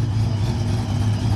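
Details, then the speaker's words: Frostbite Ram with supercharger, new Enforcer boost cam and tune, first start: deep, steady, lopey V8 rumble with no knocks or ticks; running pretty good. "it's running pretty good"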